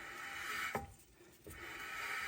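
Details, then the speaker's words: 2016 Subaru Crosstrek rear brakes, new CarQuest rotor fitted against the hub and turned by hand: soft even scraping swish fading and returning; very light parking brake shoe drag, normal, no adjustment needed. "So I don't know if you can hear this, but there's a very, very light drag. You don't want to have too much drag on the parking brake system."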